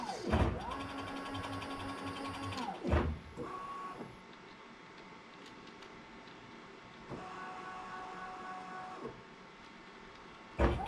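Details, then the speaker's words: Late-1970s Bridgeport Boss 5 CNC knee mill retrofitted with Masso controller and Gecko G203v stepper drivers; axes run really smoothly, steady whirring moves ramping up and down; normal axis motion, slight clicking from the mechanical axis counters. "right now we have the machine runs really smoothly"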